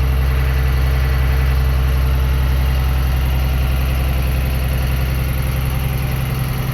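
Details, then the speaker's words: Diesel transit school bus on the high-idle switch during a CDL pretrip air brake test, rebuilding air from about 90 psi until the governor cuts out at 120–140 psi. Even, deep drone with a steady beat and no knocks or misses; healthy while building air. "And then I'm going to hit the high idle switch to let the air governor build back up, and then the governor is going to kick out between 120 to 140 psi"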